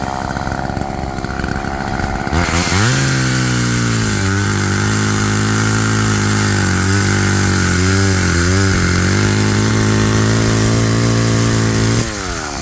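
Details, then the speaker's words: Roadside-found Homelite chainsaw after carburetor rework, cold-started after sitting, cutting wood in wind: starts, then holds a high steady scream dipping briefly under each cut and recovering cleanly. Chain oiling well; owner suspects slightly rich running, bogging in larger logs. "well that was a pleasant surprise a nice little machine and cut really well actually the chain is wet so it's getting oiled nicely"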